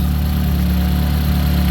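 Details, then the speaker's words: Ford Focus ST idling while a Split Second controller aux fuel injector is test-fired: a soft, regular rhythmic pulse rides on the steady idle, audible in the engine and exhaust. The extra injector is richening the mixture, with readings dropping to about 129. "you can also hear it in the engine you also hear it in the exhaust and how this idles"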